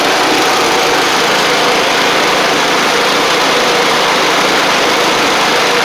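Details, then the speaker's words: Sabre riding mower after repair (drive belt and blades replaced, a large oil pool cleaned up) holds a steady, even small-engine buzz with no knocks, misses or surging. Leftover oil is burning off through the exhaust. It runs fine. "so it just needs to I just need to maybe running a little bit just to get all that stuff off but regardless y'all see that it's running fine"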